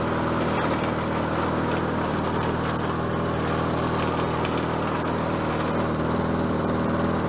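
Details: Bolens 22-inch self-propelled mower with a Quantum engine, on the ground after repair work: steady, even drone with a constant beat and no misses, surging or knocks; self-propel works and it runs as it should.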